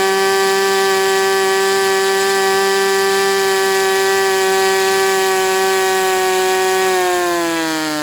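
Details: Sport 40-size model glow engine on break-in runs; air bleed screw possibly not set. Steady high-pitched buzz holds about seven seconds, climbing slightly at the end; smooth clean run, normal running.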